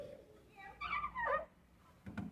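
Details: Fiat Coupe trunk lid hinge gives high, wavering squeaks as it moves, then dull clunks as it settles; owner lubricates the hinges and springs with WD-40 to stop the squeaking.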